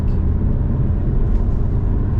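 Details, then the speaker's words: Alfa Romeo MiTo Cloverleaf on a freezing day, road test after a repair: smooth, low engine rumble under way with no stumble or uneven beat, pulling cleanly; sounds much better, fault fixed, normal running. "it sounds a lot better it does don't it I think it's fixed jumo excellent"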